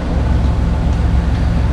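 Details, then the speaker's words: 1997 Camaro 3.8 V6, sat over 10 years, after fuel pump replacement: smooth, even low rumble at steady idle with no ticks, misses or surging; runs cleanly. "Yeah, it runs pretty good now."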